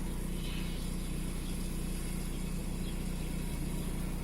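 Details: VW 1.9 TDI AXR diesel shaking at idle with an uneven thump about three times a second; fault code 16688/P0304 intermittent cylinder 4 misfire, cylinder 4 deviation 2.99 mg.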